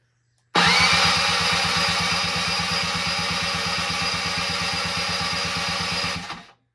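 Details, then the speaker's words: Barn-find Suzuki LT-80 two-stroke ATV, unused for over 5 years, cranking with its crankcase and airbox soaked in oil. Fast, even cranking pulses of about eight a second turn freely without catching, and it turns over easier now. "So let's see if it turns over easier now. It's better."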